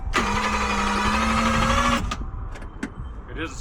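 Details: 1JZ-swapped Toyota Cressida that sat three years, new battery: the starter whines and turns the engine slowly, about three strokes a second, for two seconds.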